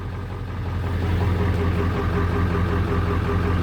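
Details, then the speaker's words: Ford 7.3 Powerstroke diesel with a fuel issue, previously running rough, smoking and not exceeding 1200 rpm, after a hard start: heavy clatter at idle with a low uneven pulsing beat, then smoothing out; cause unconfirmed. "running a little rough surprise is actually smoothing out"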